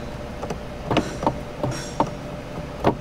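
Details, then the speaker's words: KIA Telluride sunroof motor strains with quiet, uneven clicks and short clunks every half second; the panel opens fully but will not close. Suspected to be off track after a broken wind deflector, not confirmed. "sounds like it's wanting to close, but it's not."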